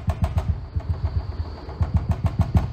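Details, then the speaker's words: Mercedes E-Class W211 Harman Kardon system, rear subwoofer under the parcel shelf: bass thumps with a loose, buzzy clatter on every hit, a known rattling subwoofer spoiling the sound. "Geklacker, das ist genau das, was den Sound stört."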